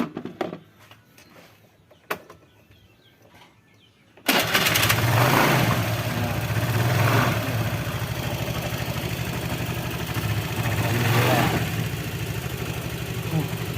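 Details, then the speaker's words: Honda Vario 110 carburetor scooter that won't start in the morning, all vacuum hoses replaced: near silence, short crank, engine catches at once and settles into a steady even idle; normal start and idle now, may recur. "Sekarang sudah sembuh, tapi nggak tahu besok."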